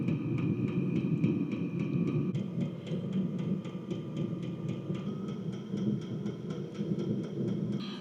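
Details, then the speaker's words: Diesel heater that shut down at 25°F without error codes, after teardown, new temp sensors and rebuild (slightly dirty fuel screen suspected): fan hum, regular light pump ticking and steady burner roar settling into stable combustion. "we have stable combustion. Well, it looks like it's working."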